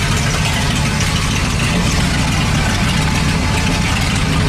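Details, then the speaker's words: 1978 Dodge D100 revived after about 20 years, in neutral, with the broken exhaust removed, air filter back on and fed from a gas can: a loud, raw, rapid rumble at idle through open pipes, every firing pulse barking. "there it goes it's a lot louder because we took a it's a very broken exhaust off"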